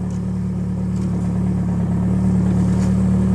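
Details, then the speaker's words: Big-turbo VW Jetta with lightweight flywheel and stage two clutch, pulling away at low speed: deep uneven drone with shuddering rattle, clutch chatter. "it's so weird having that lightweight flywheel and the stage two clutch it Chatters so"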